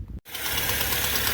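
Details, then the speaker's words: Fiat Palio Fire 1.0 8v engine idling after start: loud, hissy, rapid ticking rasp that sounds like engine knock but is a burnt exhaust manifold gasket leaking, confirmed by spraying soapy water on the manifold. "E aí liguei uma flor olha o barulho ele bate como estivesse batendo tô batendo o motor do carro"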